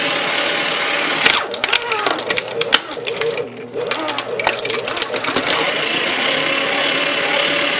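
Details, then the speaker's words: Aurora AS890C shredder with safety features removed, shredding floppy disks: harsh hissing motor roar with crackling crunches; badly worn but still cuts well. "it sounds like came from the bowels of hell because so worn out I say it does a pretty fine job actually"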